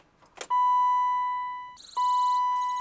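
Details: 1991 BMW E31 850i with 87,449 miles, sitting for 7 years, giving two long, steady, high-pitched beeps right after the batteries were reconnected. The owner asked what the noise was; cause unknown.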